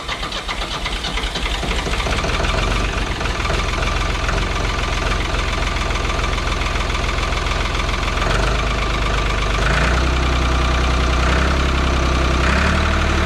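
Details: 1985 Ford 545A backhoe three-cylinder diesel, first cold start after rebuilt injector pump: catches and settles into steady, even idle clatter, regular rhythm, nothing knocking out of time.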